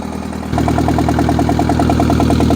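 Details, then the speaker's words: 1963-64 John Deere 1010W tractor, sat 18 years, catches at about half throttle and full choke, settling into an even putter of nine or ten beats a second with no knocks; idling well. "She sounds really good. This is awesome. It's filthy."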